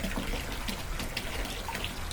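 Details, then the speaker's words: New Wasserman 5 gpm hot tub pump, full heat, medium flow: irregular splashing and gurgling instead of smooth flow, like air drawn through; owner suspects an air pocket in the filter below, later fixed by replacing the intake hose. "I wonder if that filter I got down below has an air pocket in it causing this"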